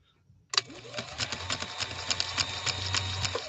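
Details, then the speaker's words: 1965 Viking Husqvarna 2000 sewing machine after restoration, sewing leather in slow gear at 2.5 stitch length; even needle beat about three per second over a faster motor whir held back by gear reduction, smooth and unstrained; normal running. "i also want you to listen to the harness sound of it being held back by that gear reduction you're going to be able to hear that the motor is running faster than the machine and that's the function of that gear down process"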